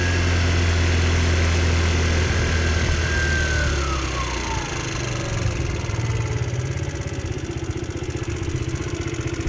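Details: GY6 scooter, previously missing its performance air filter, warming up with the rear tire turning. The engine settles from a fast warm-up idle to a lower, steady, smooth putter, with idle slightly low.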